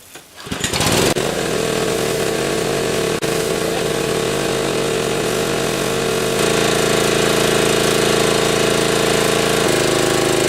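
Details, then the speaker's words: Barn-find pressure washer with a 6.75 hp engine and replaced water inlet: steady, even engine drone with a constant pump tone and no misses or knocks; starts and runs normally. "So it starts and runs, so the next section will be to check the pressure washer itself to see if it actually will work."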